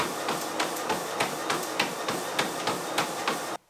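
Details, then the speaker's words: Horizon 7.0AT treadmill running at speed: even belt hiss with regular thuds about three a second, no grinding or squeal; running smoothly. "And then I'll bump it up to 6 miles per hour. And here it is at 9 miles per hour."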